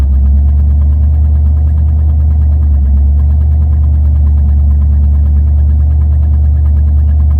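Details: Deep, heavy idle drone with an uneven, slightly lumpy beat underneath; the engine is idling rough, cause not evident.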